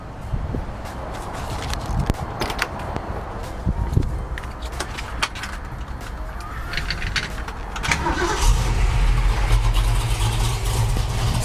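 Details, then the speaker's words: 1966 Ford Mustang with a built, restored 302 V8 and locked 3.55 rear gears: after some clicks it cranks, catches and settles into a deep, lumpy but steady idle through a loud exhaust. Healthy start. "the exhaust sounds unreal let me start it for you real quick"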